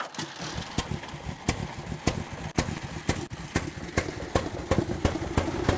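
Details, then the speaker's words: Old car at the museum idling unevenly with sharp irregular bangs and cracks about twice a second after a remodeled carburetor was fitted; misfiring, carburetor suspected, not confirmed. "well I've got it going but it's um making a bit of banging and cracking shouldn't be banging and crashing like that gonna have to have a look at the carburettor I think you can hear it banging them misfiring"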